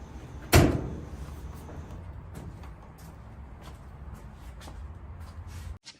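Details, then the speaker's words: Whirlpool gas dryer after drum belt replacement, door switch pushed in: door clunk, then a steady low drum rumble for about five seconds before stopping. Drum spinning normally, repair successful. "and there you have it a dryer that's spinning now belt has been replaced and everything is good"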